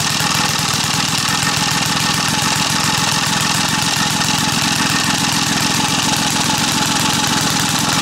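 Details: Small single-cylinder gas engine staked down outdoors for a test of sugar in the fuel tank: quick, even thumping of about three and a half beats a second that holds steady; the engine is still running normally.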